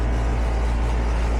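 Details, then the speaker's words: HVAC outdoor unit turned on at the thermostat after fixing a low-voltage short (unconnected white wire to the air handler) and a new fuse; the line is getting hot. A deep, even hum with a steady low drone and no knocks or rattles: normal running. "So our outdoor unit is running. That line is getting hot."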